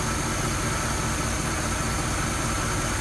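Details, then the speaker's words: 1965 Oldsmobile F-85 Cutlass V8, cold start after a stalling issue believed fuel-related, some old fuel still mixed with new: low, even, smooth idle with no misses, stays running. "She's staying running. Let me get on out there so you can see it purring. I can't believe how smooth this thing is running."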